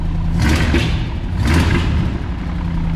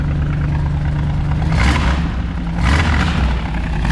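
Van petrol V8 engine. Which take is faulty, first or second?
first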